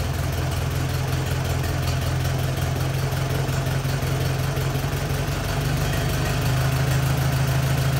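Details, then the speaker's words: 1944 Allis Chalmers B tractor, sat many years, restored, repaired starter: low steady putter at even idle with constant beat just after cold start; normal cold start and idle. "all right so now we get a cold start we'll let the engine run for a while get warm shut it back down do one final compression test"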